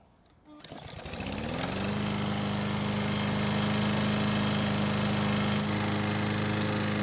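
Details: Lawn mower that wouldn't start, after cable repair, oil change, blade sharpening and clearance check: a steady, even single-cylinder putter at constant governed speed; it runs smoothly and sounds healthy.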